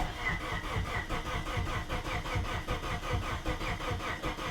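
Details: Plymouth Neon sat at least 8 years, throttle held open with carb cleaner fed: even cranking about five compressions a second, no firing; crank no start, later traced to missing fuses.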